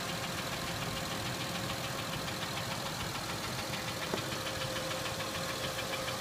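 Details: Acura MDX at idle: light, quick ticking about two per second, only loosely even, over a quiet idle; engine ticking, source not pinned down.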